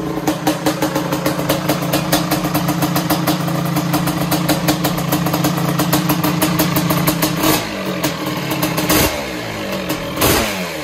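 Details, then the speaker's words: Suzuki Quadzilla LT500R two-stroke ATV, first start-up of project: crisp rapid popping climbing and dropping cleanly with throttle blips, no misfires or rattles; healthy running. "is working oh this thing sounds so good holy crap that sounded awesome"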